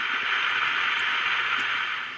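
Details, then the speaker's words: Magnavox AM-80 transistor radio on the bench: loud steady hiss with no station reception that dies away when the converter transistor base is touched; converter transistor suspected installed backwards. "I don't know if you can hear that, but when I first get near it, you can hear it, and then when I touch it, it goes away. I'm almost thinking that might be in backwards."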